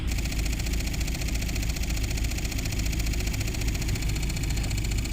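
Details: Mahindra XUV500 AC blower motor bench-run after debris was cleared from the rotor and jammed brushes were freed: steady electric hum with a faint rough hiss, carbon brush noise judged acceptable.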